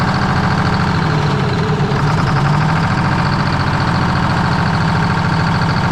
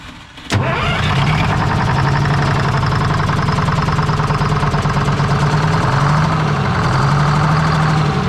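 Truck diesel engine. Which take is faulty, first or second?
first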